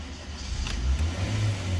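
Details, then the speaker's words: Honda Brio starting: catches and revs to about 3,000 rpm, sags to 2,000, then stalls, every time, no check-engine light; a faulty MAP sensor causes the stall. "Dan ini troublenya itu mesin mesin itu mau hidup mesin mau hidup cuman setelah hidup rpm-nya naik turun naik turun terus mati"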